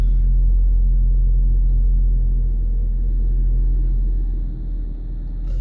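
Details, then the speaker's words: 2014 Ford Focus, 2-litre inline four, just started: deep, smooth, even idle rumble with no knocks, ticks or misses; sounds healthy. "There it fires to life. 2-litre inline 4-cylinder."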